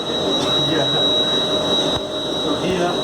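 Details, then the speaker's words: Siemens MRI helium compressor restarted along with its water and glycol cooling systems after the absorber was replaced: steady even hum with a constant high whistle and airy rush, no knocks or surging; normal compressor running. "you hear this sound oh wow everything is okay"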